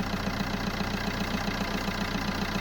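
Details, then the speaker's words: Ford Ka at idle after starting: fast regular buzzing rattle from a part vibrating loose because its retaining clamp is broken; later tape wrapped around it to try to lock it in its hole. "so the next issue is this noise you are it's quite annoying when you start in the car you just need something to hold that in place cuz you normally got a clamp that's Clips onto that and Al place like that but that's broken on this which is quite standard"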